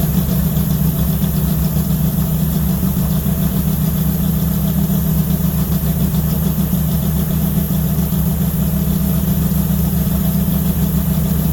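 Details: 1970 Charger 640hp Mopar stroker V8 revived after sitting, transmission separated, warming to 190° at 75 lb oil pressure: deep, lumpy, slightly uneven warm-up idle; owner suspects timing needs work or new gas.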